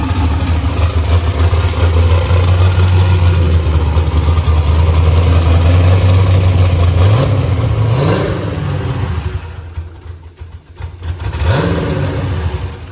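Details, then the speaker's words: New LS-swapped Mustang first fire-up, fuel map still being adjusted: deep lumpy idle with uneven stumbling beat and a rev blip; slight misfire, likely fuel-mixture related, to be fixed in tuning. "It sounds great. I had a little bit of misfire thing to it, but he's going to fix that up real quick."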